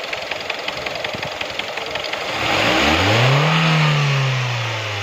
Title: Стук мотора